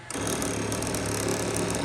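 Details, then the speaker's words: Monoprice MP10 3D printer homing with bed warmed up: harsh rapid buzz and chatter through the whole homing move instead of a smooth whir, as if binding. Owner unsure of the cause. "It looks like it, but I don't know. You heard that noise. I'm gonna try it again."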